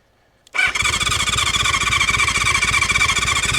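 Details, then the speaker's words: 1970s four-cylinder motorcycle (Honda CB550 or Kawasaki KZ650) sitting for years, on jump box, starting fluid sprayed, tried choke then no choke: starter whirs with even cranking pulses about four a second but never fires. "try no choke. Come on. Oh. Come on. Ah, nothing. Nothing."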